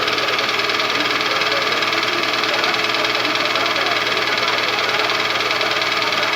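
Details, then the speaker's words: Toyota engine (caption says 2AZ, title says Vitz 2SZ) knocking at warm idle: steady metallic knock two to three per second that lessens as it warms but persists hot; piston slap suspected, Dimexide decarbonizing flush did not help. "вот такой вот стук по мере прогрева ступни множество уходит но все равно на горячие стучит двигатель 2az в 313"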